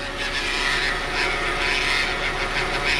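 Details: Hyundai Veloster automatic gearbox, engine running, a recurring fault seen in the shop's third such car; steady whirring hiss with a faint high whine, noise changes when drive is engaged; cause not confirmed.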